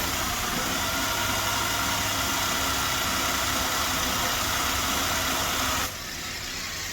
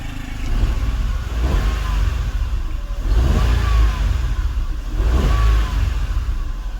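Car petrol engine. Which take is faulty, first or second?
first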